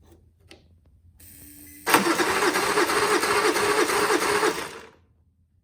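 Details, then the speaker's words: Auction-bought Honda inverter generator on a jump pack: buzz, then about three seconds of rhythmic cranking that never catches, coughing once; pull start also fails. Cause not determined. "well that seems up h nothing try the pull St that sounds horrible well that sounds terrible Okay so we've got [Laughter] nothing that did not do anything did it um it coughed once and no more"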